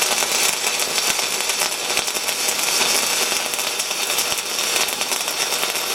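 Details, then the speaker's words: SIP Autoplus Mini 130 synergic inverter welder stick welding a 3.2 mm 6013 rod at 110 A: steady, even bacon-frying sizzle with no pops, sputters or breaks; rod burning smoothly, stable arc, normal. "it's about as good as it gets on the 6013 that is enough absolutely amazing to use"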